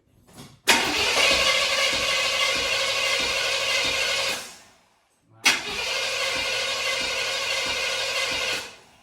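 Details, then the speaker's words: Supercharged carbureted V8 for a Blazer, distributor reinstalled at marked position, throttle worked by hand: two bursts of steady cranking about three turns a second, never catching; fuel visible and accelerator pump seemingly working, seemingly no ignition. "So, I thought it would start there, but it feels like we're not having ignition."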